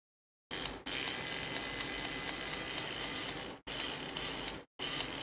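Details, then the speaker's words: Motorised sensor bin lid, replacement gear motor powered at 9 V on the bench, run forward and backward: high, even gear whir in three short runs, spinning smoothly without catching; works fine before cleaning and greasing the gears. "i'll just show you the mechanism and this one works fine so it's just a bunch of gear heads"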